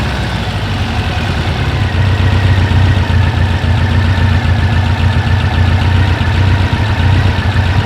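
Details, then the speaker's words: 1956 oval-window VW Beetle with Weber 44 IDF carbs, idle mixture being set by ear without a wideband: low, loping idle with an uneven beat that sags and stumbles once too much fuel is cut and the mix goes lean. "so I don't know if you guys could hear it or not but the engine will start to fall off a little bit or start to stumble when you've cut off too much of the fuel or you got that fuel-air mix just stop right"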